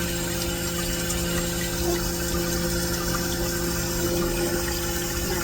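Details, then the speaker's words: Vevor milk cream separator, freshly cleaned and reassembled, test-run with water; smooth, steady whir with constant hum and water trickling through, no rubbing or rattle, sounding as it is supposed to. "Let it get up and going first and then going to turn it on and let the rest of the water flow through. And that is what it's supposed to sound like."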